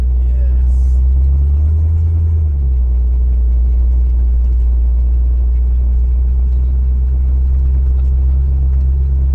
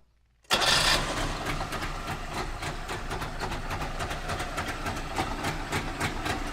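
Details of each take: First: Trabant two-stroke imported from Berlin, driven slowly on the road after pickup: deep, even, relaxed low rumble at steady speed with no knocks or rattles; running normally. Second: Trabant two-stroke just started: a loud, uneven metallic rattle from the front over the engine beat. The owner suspects the exhaust is touching something, not yet confirmed on the lift.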